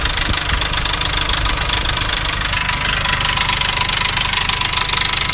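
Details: Nissan Navara D40 2.5 dCi diesel at idle: a quick metallic rattle of about three to four beats a second that sounds like a dual-mass flywheel rattle but is caused by a cracked intake manifold.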